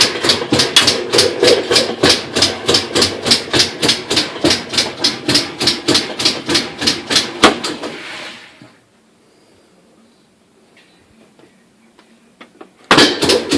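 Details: Direct-drive top-load washer after replacing a split coupling: loud, sharp, evenly spaced clicking about two to three per second on every agitation stroke. Rhythmic drive clicking, cause not pinned down.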